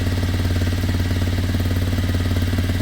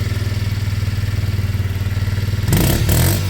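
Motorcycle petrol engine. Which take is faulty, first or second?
first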